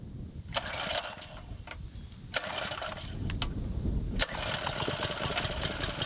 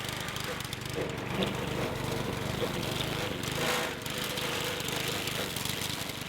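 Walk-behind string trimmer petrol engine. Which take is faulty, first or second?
second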